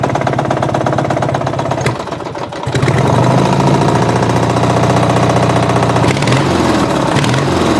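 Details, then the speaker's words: Murray riding mower engine, ran low on oil and connecting rod came loose on crank; retightened but knock remains: catches and settles into fast, heavy hammering knock about three or four a second over idle; rod knock. "so there you go thinking about replacing the engine it's got that knock"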